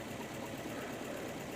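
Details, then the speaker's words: Nissan Altima 2.5 hybrid in inspection mode, petrol engine idling: slightly rough, uneven beat from cylinder 3 misfire (P0303); no rpm signal at coil 3, fault followed the coil when swapped, fixed by new ignition coil. "سلندر 3 ما في إشارة ار بي ام، سلندر 3 في مشكلة"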